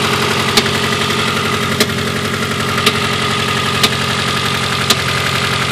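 Steady idle with a dull knock about once a second, not quite evenly spaced; the engine stumbles, so a misfire is possible.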